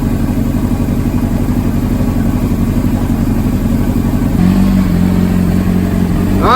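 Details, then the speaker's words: 2005 Honda CBR600RR, 4,299 miles, rebuilt after long storage; old gas cleared, spark plugs replaced. Warmed up: smooth, even low burble with a steady beat and no knocks or misses. Normal idle. "now that the bike is running nice and healthy let's go ahead and give it a cold start and a few revs"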